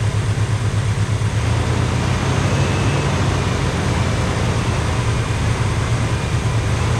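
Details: 1985 Pontiac Trans Am V8, 34,000 miles, parked since 1998, with a sticky carburetor. Loud, deep, steady rumble holding an even beat with no misses or knocks; a healthy idle.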